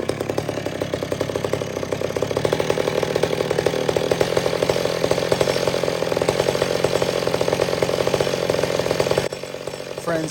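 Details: Old McCulloch Super Pro 70 chainsaw, richened slightly after a pulse line fix (gasket sealer suspected): sustained high rev about nine seconds, then drops away and settles. Normal rev and return to idle.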